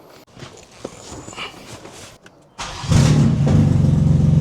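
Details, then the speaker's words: Crash-damaged BMW M4 Competition after full rebuild, first start after coolant fill: handling noise, then it fires into a loud, deep, boomy idle. Exhaust still due to be swapped out; loud exhaust at start and idle. "Yeah, about that sound, I still need to get the exhaust swapped out."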